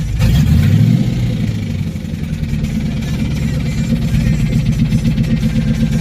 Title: ROD KNOCK,LIFTER? TIMING CHAIN????